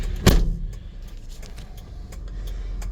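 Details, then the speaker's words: 1999 Mitsubishi MiniCab 4x4 mini truck, 13,050 miles, fresh timing belt, water pump, plugs and filters: quick crank catches at once and settles into a low, steady idle with no knocks or misses. Normal start and idle. "Okay, let's start it up. Starts right up."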